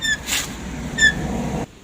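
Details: DFM Succe: short, sharp high-pitched squeals while rolling slowly, from the rear left drum brake and heard when the brake is released; rear drum brake squeal from a dirty drum and shoes, fixed by cleaning.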